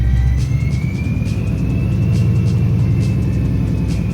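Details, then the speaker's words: Supercharged Coyote 5.0 V8 Mustang, first start after engine teardown and supercharger kit install: clear high supercharger whine rising gently in pitch over a deep, lumpy V8 rumble; normal, healthy supercharger whine. "hear that whine. I can hear that supercharger whine."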